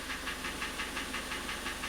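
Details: 2014 Kia Cerato 2.0, 166,531 km, engine noise heard with hood open at idle: hollow, even metallic knocking about six per second, more a ringing than a knock; shop suggested timing chain, oil consumption noted, piston slap from worn cylinder walls suspected.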